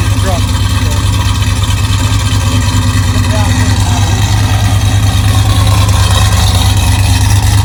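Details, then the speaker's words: 1999 GMC truck V8: deep steady rumble at a fast even idle, no knocks or misfires; sounds healthy. "that's about what it's going to sound like so this is going to make somebody a really nice truck"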